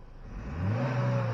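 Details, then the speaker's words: 2020 Chevy Malibu 1.5 turbo, after vacuum pump replacement and first start-up: engine sweeps smoothly from idle and holds flat at the soft 4,000 rpm rev limiter with no stumble or misfire; normal limiter behaviour. "yeah it's got a it's got a limiter 4,000 RPM limiter"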